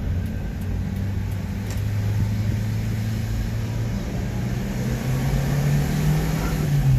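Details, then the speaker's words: Subaru Sambar kei truck driving: smooth, even engine drone climbing cleanly in pitch as revs rise, no knocks or misses; engine revving normally. "thing you can hear revs up really good four wheel drive works"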